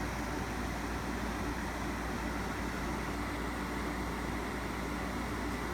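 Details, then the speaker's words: Window air conditioner with compressor running at 67 dB: steady fan rush dominant, with low-frequency compressor rumble underneath and slight vibration, no shaking or rattling; running normally. "enough the fan makes so much noise on this thing that you can't really hear the compressor over it we're still at 67 decibels so i mean there's a little bit of vibration i can you know hear it just a low frequency kind of compressor rumble"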